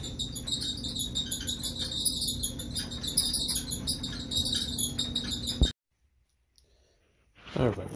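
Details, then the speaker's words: Kenmore 600 series dryer running: fast, high chirping squeaks repeat several times a second over a low drum rumble. They come from the drum support wheels, which get full of debris and wear out. "anybody have this noise in your dryer this is the camber dryer same as a lot of uh other dryers that is coming from the wheels the wheels that support the drum"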